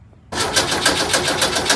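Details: VW double cab (bus) air-cooled engine after an engine fire, restarting after rewiring the melted distributor wire and keeper and refitting points; catches after a short silence, settles into a quick, even popping idle with no misses; belt still needs tightening; normal idle.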